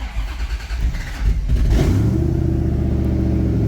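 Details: Flood-totaled ZR1 Corvette V8 after engine repairs and a new cam-sensor o-ring that cleared code 31: the starter whirs briefly, the engine catches within two seconds and settles to a steady, even idle with no misses or knocks. Normal start.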